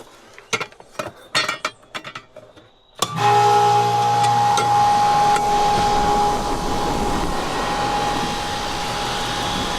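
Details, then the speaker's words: 1989 R22 outdoor AC condensing unit after swapping the 40/5 capacitor: a few clicks, then the compressor kicks on and runs loud but steady and even, sounding much better than its earlier racket; normal operation. "Suffice it to say, it sounds much better than it sounded before. It's an old unit. It's from 89, which makes it like 35, 36 years old."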